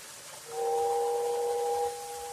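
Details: Girard whistling station on a 1937 Lionel Type A 40-watt transformer, with locomotives running on tracks 1 and 2: a clean, steady two-note whistle sounds for about a second and a half over quiet hiss, then drops away. Whistle working normally.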